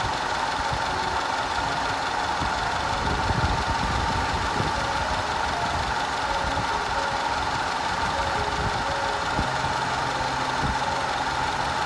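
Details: 2010 Audi A5 2.0 TFSI Cabriolet with codes P0304, P0300, P130A; uneven idle with irregular stumbles and soft thumps from random misfire and constant cylinder 4 misfire, later fixed.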